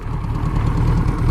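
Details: Suzuki GS1000 four-cylinder motorcycle on shakedown, idling: steady even low burble with smooth regular beat, no knocks or misses; sweet running, still smoky, brake fluid leaking from caliper piston.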